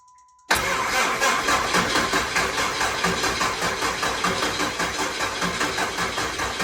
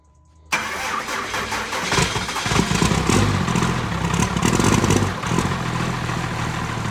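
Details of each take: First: Truck being started after adding transmission fluid: cranking pulses about two and a half per second with a harsh, rattly whir over them; diagnosis found the starter bad, a worn starter motor. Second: Diesel truck just after a faulty starter with excessive play was replaced with a spare. Brief crank, quick fire-up with a rev flare, then it drops to a steady, even diesel idle; starting sounds normal.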